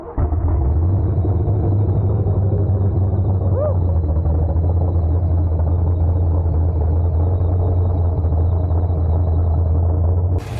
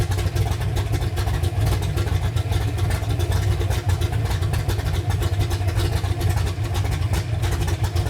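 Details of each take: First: 331 V8 build in a Ford Ranger, first fire-up after idle screw adjustment, running rich while the computer learns: loud, deep, lumpy loping idle from an aggressive cam, running fine. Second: Freshly built 331 engine in a Ford Ranger on first start, big cam, running very rich while the computer learns: deep, choppy, lumpy idle with uneven heavy pulses that never smooth out.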